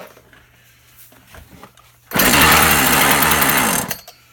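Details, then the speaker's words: Husqvarna 36 chainsaw after repair, fired back up: crisp, steady high-pitched two-stroke buzz for about two seconds then cuts off; running clean and healthy. "That's telling me it's happy now. Fired back up, that's good."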